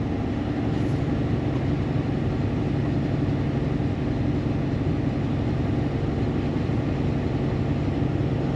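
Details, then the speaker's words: Barn-find Gleaner G combine driving on the road with flat-spotted tires: a steady low engine and gear drone with a continuous rough rumble from the driveline. The transmission sounds a little noisy, humming along; cause unclear. "Transmission sounds a little noisy, but So far, so good. I mean, it's just a humming right along back there."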